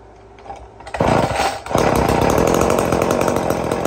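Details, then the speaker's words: Old Homelite Super 2 chainsaw, just rebuilt with a carburetor kit: pull start on choke, then catches and settles into a steady, even high-pitched two-stroke buzz with no stumbling: normal running. "Well, I just finished putting a carburetor kit in this thing. And I'll say we get set up and see if this thing will run and what it sounds like."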